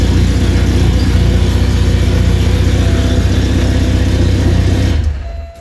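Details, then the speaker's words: 1985 Porsche 944 after replacing the failed DME relay: steady, even low idle with smooth uninterrupted beat, no misses or knocks, until switched off; running normally again. "And just to show, yes, it really does run. Just the DME relay."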